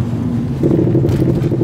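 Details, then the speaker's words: Front suspension clunk while driving: faint irregular klock-klock knocking under low rumbling road noise, as if something were working inside the part; cause still unknown after repairs. "Klingt so ein bisschen so, als wenn da irgendwas drin arbeiten würde, irgendwas leben würde in dem Teil."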